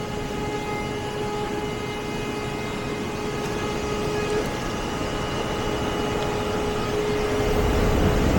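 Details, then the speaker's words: HVAC air handler blower during R454 changeout, speed tap moved from tap 2 to tap 3 (blue wire) to raise airflow and static pressure: steady airy rush with faint motor hum ramping up louder as blower speeds up; normal operation. "And you can hear that ramp up a little bit. I don't know if y'all could hear that. I don't know if y'all heard that ramp up whenever I switched it from tap 2 to 3."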